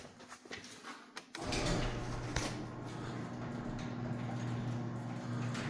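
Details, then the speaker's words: Second garage door after greasing rollers with white lithium grease, hinges not yet greased: low steady hum, smooth travel, no squeal or scrape; much quieter. "But yeah, much, much quieter. A little bit of white lithium grease goes a long way, guys."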